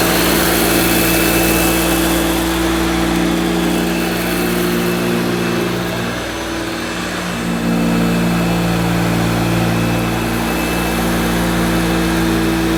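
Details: 1971–74 Hoover Dial-A-Matic 1149 upright vacuum cleaning low-pile carpet: steady, loud motor drone with a constant hum dipping briefly mid-pass; owner judges it sounds as it should, just noisy.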